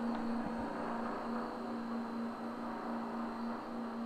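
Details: Vaillant 837 boiler, about ten years old, never cleaned, no inhibitor, locked on high: steady roaring burn with faint rattling buzz inside the casing as a blocked main heat exchanger coil overheats and vibrates against the other coils (kettling).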